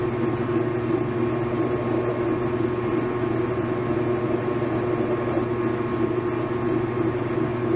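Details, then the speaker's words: 1989 Whirlpool LA5400XTWO top-load washer after cleaning out built-up crud that had caused grinding at the end of spin: a soft, normal fill click, then even motor hum and a steady agitator churn with no grinding; normal agitate cycle. "now that's a relatively soft click yeah it's a normal click this is what it always had and so now it's going to agitate for a bit then drain"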